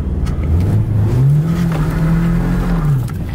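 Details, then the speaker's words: LS-swapped BMW E36, just got running: deep, uneven engine note climbing and sagging when revved, running rough as if on one cylinder. "this thing runs rough it's running on like one cylinder"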